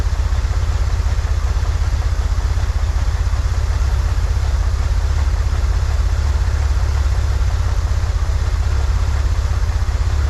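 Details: 1963 Corvair flat-six after vacuum leak fixed, new PCV valve, fuel mixture adjusted: even low thrum at about four pulses a second, steady, a touch fast; "that's the sweet spot," idle still a little high. Normal idle.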